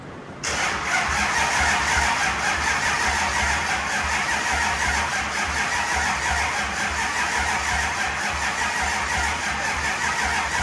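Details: Hot rod V8 with two-four-barrel cross-ram Edelbrock intake: loud continuous churning with a steady low pulse as it cranks but never catches; starting fluid then tried; cranks but won't start.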